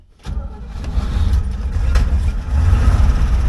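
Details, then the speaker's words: 1970s Chevrolet C-10 Custom sat 30 years, after carburettor cleaning: quick crank, catches right away into a steady, rough-edged low rumble; starts easily, runs okay but idle needs turning up. "There we go. I probably need to turn the idle up a little bit because, I mean, it seems to run okay, but just it's not idling."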